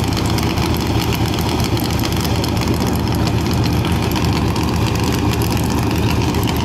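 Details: CMEGO at launch: uneven, lumpy idle with irregular low thumps and dropped exhaust beats; engine misfire.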